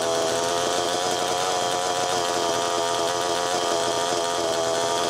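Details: Allen's Super EZ chainsaw, after Walbro HDC carburetor disassembly/rebuild, test run: high buzzy two-stroke idle holding steady, no hunting; low-speed needle was too closed, slowing priming; crank seals fine per tip test.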